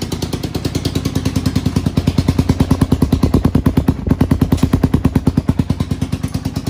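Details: 1991 Honda TRX250X quad barn find, motor put back together and timed, carburetor refitted, fresh fuel, exhaust leak mostly fixed: crisp, regular single-cylinder thumping, about three pops a second, holding steady without stumbling; healthy idle.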